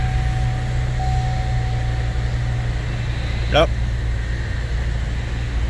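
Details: 2018+ Chevy Traverse/Buick Enclave after alternator replacement for P0621 and a charge-system warning, battery dead: smooth, steady low idle hum with a faint constant whine, no stumble or knock; charging 12.8–13 V, normal.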